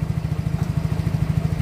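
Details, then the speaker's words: Yamaha Mio J scooter (complaint: hard starting, stalling; injector already replaced), engine still cold during scan diagnosis: steady even idle, no misses or knocks, idle rpm, sensors, injection and ignition fine; intake pressure 50 suggests weakening compression — normal idle. "putaran mesin langsam normal masih plus Kondisinya masih dingin terus berarti sedang menambah bahan bakar"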